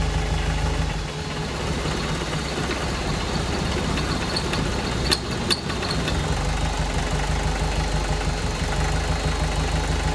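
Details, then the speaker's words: VW 1.6 NA diesel swapped into a Ford Ranger, first start after rebuild with new piston and head following a shattered cylinder 1 exhaust valve: heavy, uneven rumble with excess vibration and sharp clatters. Seems to be fuel starvation from leaking injection pump flat gaskets, not seizing. "uhoh yeah normally vibrates a lot but that seems like a lot more than normal more vition"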